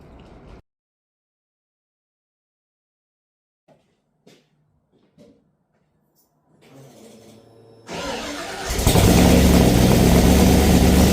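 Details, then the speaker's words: Ford Falcon XB hardtop under restoration, first start after rewiring, no oil pressure gauge fitted: short crank, then the engine runs loudly with a quick, even tapping of about three or four a second, origin unclear; engine knocking. "She sounds the starter motor sounds good and it sounds good running, but there's something going on with the motor. It's like a knocking sound or something."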